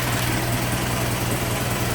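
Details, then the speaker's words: 1915 Ford Model T Roadster, hand-cranked, warming up, throttle backed off: low even chuff at steady slow idle, no knocks or misses; smooth normal idle. "Yeah, it's been a very nice, smooth running little T."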